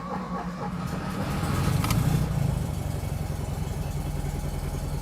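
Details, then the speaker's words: Engine on the bus just fitted with a new carburetor and fuel pump, started off a jumper to a dead battery: brief crank, then it fires and revs before settling into a steady, even idle with no misses; a fuel line later popped off. "that sound makes me very happy"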